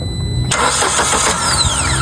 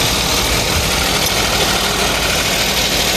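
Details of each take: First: 2015 Kia Picanto manual, cranks but won't start, no scan codes: steady even starter cranking never catching; no fuel delivered, fuel pump getting no power from relay on key-on. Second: 2015 Kia Picanto manual, after repairing a crank-no-start fault: small petrol engine idling steadily, no misses or knocks, hissy background; idle speed coming down as it warms; healthy idle.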